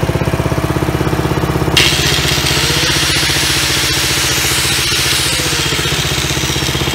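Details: Old Dayton small single-cylinder generator first start after replacing fuel line and fuel filter, cleaning gas tank, checking oil; catches and settles into steady even pulse about four beats a second, runs clean; normal running.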